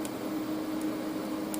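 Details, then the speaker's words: Parweld XDI 201 AC/DC TIG welder on a first TIG weld, with the earth clamp connected through a piece of wire. A steady buzzing arc with faint crackles and hisses. The fizzing is suspected to come from dirt in the iron; the weld still came out reasonably well. "hear it fizzing a little bit. I think that's probably just crap in the iron, but it did actually weld reasonably well."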